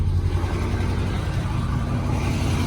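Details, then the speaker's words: Ford F-150 from auction, jump-started briefly with cut battery cable and damaged radiator support: low idle with slightly uneven, loping beat; sounds like a mild misfire, cause not pinned down. "Definitely sounds like it's got a little misfire in there."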